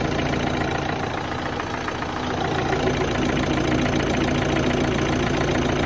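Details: 2011 Opel Astra 1.7 CDTI diesel at idle, warm or cold: a steady, fairly regular knocking clatter about three or four a second under the engine note, also heard when changing gear; cause undetermined.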